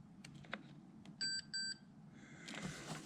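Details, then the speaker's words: Multimeter continuity check across the solar crossover relay pins on a '79, relay activated: two crisp high beeps over a quiet room, showing the relay is switching fine; the owner suspects a bad earth or ignition supply to the relay instead. "you might be able to hear it we got continuity across these"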